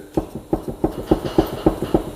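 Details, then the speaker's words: Arctic Cat Wildcat 700 UTV, used with unknown history: sharp clunks about every quarter second as the wheel is shaken; loose knock from worn inner lower A-arm bushing, a typical Arctic Cat issue, while CV joints and boots are fine. "is actually coming from the lower a AR on the inside and everything else on this side is nice and tight"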